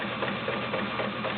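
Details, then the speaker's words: Kenmore 1753 heavy-duty, all-metal sewing machine with a 1.2 amp motor, sewing two layers of cotton. Even chatter of about four stitches a second over a smooth motor hum; strong, normal running. "Very nice, strong machine. Kenmores are my favorite. You can hear the strength and you can hear the power. It's just a wonderful machine."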